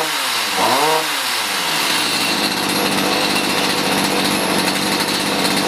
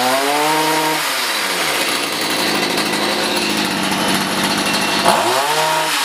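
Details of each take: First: Stihl HS45 hedge trimmer two-stroke that wasn't starting, likely long stored, after carb high/low screw adjustment: blips up then settles into a steady, high, buzzy run with no stumbling or misfire; some exhaust smoke, running normally. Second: Stihl HS45 hedge trimmer two-stroke that wasn't starting, fresh non-ethanol fuel: high buzzy note swoops up and down with throttle blips while the carburetor is tuned, high-speed screw leaned, low-speed screw richened.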